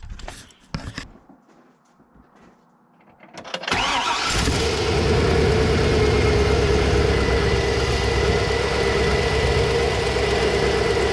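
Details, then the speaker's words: GM LS V8 truck after installing exhaust manifold leak repair brackets on the side thought to be leaking: cranks, catches and settles into a steady, even idle with no exhaust tick; runs healthy. "now well guys I am super impressed camera is sideways um it sounds good it sounds really good"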